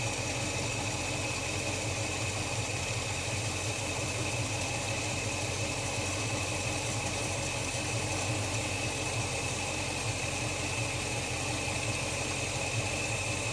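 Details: Holden HK after new spark plugs and oil change, idling deliberately very low; slow, even, steady beat with nothing knocking or ticking, engine idling cleanly.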